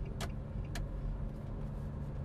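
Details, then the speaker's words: Nissan Grand Livina driven on a rough, corrugated road test after steering rack repair; low even road rumble with only a couple of faint ticks and no clunks or rattles; the front end is tight, with no suspension noise. "Coba kita jalan yang keeriting Jan kita tesin Jeleng Kiting dulu ini udah enak si juragannya ini jalan ini udah enggak ada bunyi"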